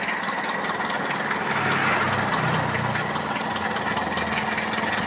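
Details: Toyota Kijang 7K carburettor (Grand Extra) petrol engine at idle during carb tuning: uneven, lumpy beat about four times a second. Idle air screw still fully out, not yet adjusted; rough idle.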